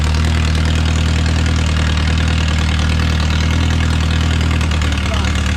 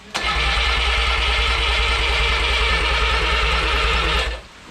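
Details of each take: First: Original c. 1949–50 engine of a Renault 4CV (car a 1952; engine failed early 1950s with cracked block, weld-repaired), reassembled and run for the first time in ~70 years, warming up: steady low idle, even smooth beat, no knocks or misses, barely smoking; normal idle. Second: Original Renault 4CV engine (circa 1949-52, welded cracked block) reassembled after ~70 years in parts, first start attempt: steady starter cranking with about three compression pulses a second for four seconds, never catches; compression seems present.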